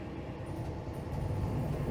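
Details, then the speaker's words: Coachmen Freelander 31BH RV generator, primed at the control panel then started by holding the start button: low, even engine rumble that builds and settles into a steady beat with no misses or knocks; runs smoothly. "and you can hear when it's running and now it's running smooth i let go of it no problem"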